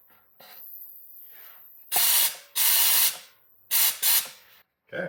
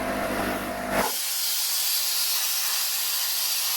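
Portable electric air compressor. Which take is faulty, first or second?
second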